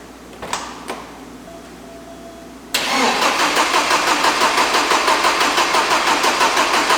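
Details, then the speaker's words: 1987 Porsche 924S after clutch install: starter spins engine in even pulses about three a second but never catches; runs on starting fluid, no fuel delivery traced to a broken wire from DME relay to injectors. "the car would no start it would crank it"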